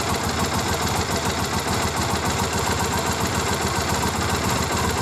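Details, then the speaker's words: 2001 Triumph Bonneville twin carbs, just split to cure a fuel leak, checked on vacuum gauges: idle lumpy and uneven at about three or four beats a second; carbs well out of balance before adjusting the balance screw. "okay i've both started and you can probably hear it it's off and i look at the vacuum gauges and yeah well off"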